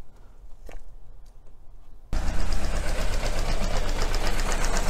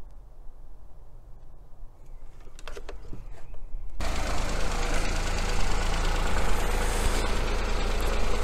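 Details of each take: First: Small petrol engine with coil-on-plug ignition, cylinder 1 coil deliberately lifted to simulate secondary winding or spark plug failure: uneven loping idle, about four pulses a second, one cylinder not firing, confirmed on PicoScope. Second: 2018 Ford Fiesta 3-cylinder non-turbo petrol engine at idle during coil-on-plug misfire check with oscilloscope: steady low hum, no misfire stumble.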